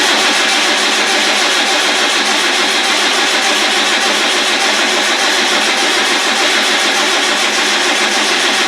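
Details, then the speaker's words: Land Rover 300Tdi diesel after rebuild: starter cranks steadily at about 100 beats a minute and never catches; filter is full but the pump isn't pumping, a fuel supply problem, possibly a failed lift pump. "well it should have started by now there's there's obviously a fuel supply problem but what is it"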